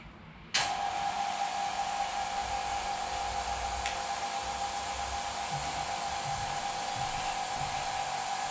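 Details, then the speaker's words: Vacuum pump pulling down a carbon-infusion mold chamber, no gauge fitted: steady airy hiss with a thin constant whistle, a leak at the chamber lid where an O-ring had popped out of its groove. "we definitely have a lick but it actually sounds like it's coming from the chamber"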